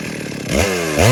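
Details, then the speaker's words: Stihl MS 382 two-stroke chainsaw: quick rising pitch sweeps that flutter at the top; apparently normal running, the high-rev fluctuation is the RPM limiter cutting in. "MS 382 da Steel, vocês escutaram o funcionamento aparentemente normal, e essa flutuação que dá em alta quando ele chega no alto giro, que fica nada mais é que o limitador de RPMs."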